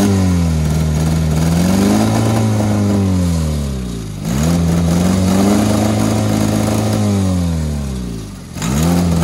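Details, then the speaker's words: Honda Civic with tire foam in place of engine oil, running on ether; engine revs up and down in long sweeps, still pulling; running without oil, owner wanting it to seize. "he's just chugging along [Music] that's pretty good on ether [Music]"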